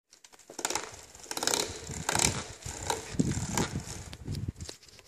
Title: Alfine bearing noise 2